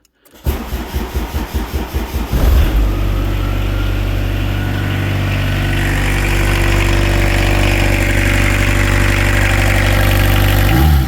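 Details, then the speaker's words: Peugeot 306 sedan XUD diesel turbo, just refitted after a major injection pump rebuild (11mm head, 6-vane lift pump): cranks, catches, then holds a steady fast idle around 1,000 rpm; idle set too high, fuel needs bringing down. "Um she's idling quite high. So, you can hear that off by ear. She's probably at about 1,000."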